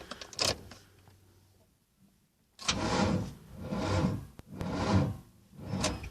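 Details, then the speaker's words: 1995 Ford Mustang 5.0, first start attempt after sitting four to five months, on a booster pack with a bad car battery: slow, laboured starter heaves about once a second with no firing; weak battery supply. "think good I guess I have to get the battery that battery's bad in the car so I might have to get my battery hook it up see what happens"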